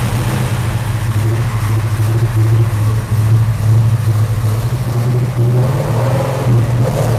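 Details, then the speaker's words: Carbureted V8 on a tall dual-plane intake with a 750 Holley double pumper, formerly backfiring, now key-started: deep steady rumble with smooth throttle blips and no pops or backfires; running cleanly. "sounds good doesn't it [Music] [Music] i just love to rev it up"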